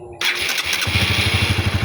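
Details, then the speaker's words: Honda CB150R after starter motor (dinamo starter) repair for jamming/clicking, on a weak used battery: starter spins briskly under a second, engine catches and settles into a steady even putter; normal electric start. "Mantap kan, bosku? Jos. Alhamdulillah. Huh. tidak ngengkol lagi, Bosku. Jadi untuk motor saya sudah bisa diarter tanpa harus beli peralatannya ya."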